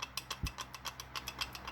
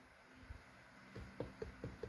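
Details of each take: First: GM 4L70E transmission from a Suburban, rebuild: dry, rapid ticking about eight clicks a second as the planetary gearset is turned by hand; worn planetary teeth with visible wear marks, set replaced. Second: 4L65/4L70 transmission rebuild for a Suburban, shims removed, shaft rocked by hand: light, evenly spaced clicks about five a second; only small shaft end play, within limits.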